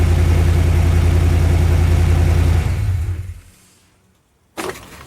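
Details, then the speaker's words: Truck with MagnaFlow side-exit dual exhaust, after exhaust leak repair with a clamp: steady, even low idle rumble with no ticking or puffing from the pipes, then clean shutdown; exhaust sealed, normal idle. "and I'd say that's a job well done"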